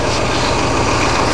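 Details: A freshly rebuilt 1965 Ford 352 V8 in a wagon idles with a smooth, even low rumble and no ticking, knocking or stumbling; the engine sounds healthy after the rebuild.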